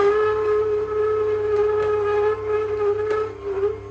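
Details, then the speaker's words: Ninja cold press masticating juicer processing dill, parsley, pomegranate and ginger. A loud, steady, high squeal from the auger over the motor hum, dipping under load. "But, as you can hear, it does squeak quite loudly. You don't want to overload the tube."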